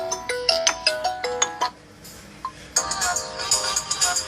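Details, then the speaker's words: Xiaomi Mi Note 5 whose ringer sound was cracking, after replacing the IC and reworking the resistors: ringtone plays as clear, clean notes with a short pause and no crackle or rattle. Normal speaker. "देखिए अभी तक तो कम हो जाता। सुधर गया guys."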